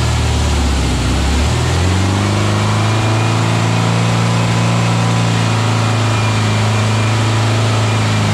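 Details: Freshly built VW Beetle 1679cc single-port engine, Scat C25 cam, dual Empi ITC carbs, first fire-up for cam break-in: after a quick blip settles into a smooth, even idle with no misses; healthy, carbs still need tuning.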